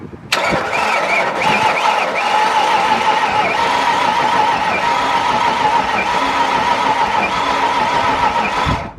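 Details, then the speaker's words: 1995 Ford Mustang, 5.0 (302) V8, 5-speed manual, first start attempt in 15 years on a fresh battery with starter fluid: about nine seconds of steady whirring cranking, but the engine never catches or fires. Starter works; the engine sounds bad. "sounds pretty bad starter works engine really doesn't sound very good"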